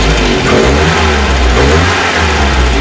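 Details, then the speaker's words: 1968 Commer 2500 van after the carburetor was reworked, the air filter fitted to restrict airflow and the timing adjusted: quick throttle blips pick up cleanly and drop back without stumbling. Idle still high, about 1,000–1,100 rpm. Clean throttle response, a big improvement. "That's a lot better. The idle is still high at the moment at about 1,000 or 1,100. But that's gunning it, that's a big improvement."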